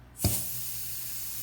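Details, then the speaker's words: Cheap new aftermarket wastegate, the second unit tested under air pressure: a sharp burst of air as the valve opens fully, then a steady faint hiss as it bleeds back. The diaphragm is leaking. "you can see the valve initially opens up all the way and then it starts to bleed back off and then it moves back down as you let off now this one isn't as bad but it is still leaking"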